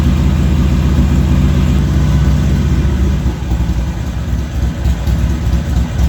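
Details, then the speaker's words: Harley-Davidson XR1200 after a hot start, IAC initial setting raised to 155 steps: heavy, lumpy V-twin hanging at a raised idle at 85 steps, barely easing. High idle. "still went and hung at 85 steps for whatever reason so might have to figure out something else"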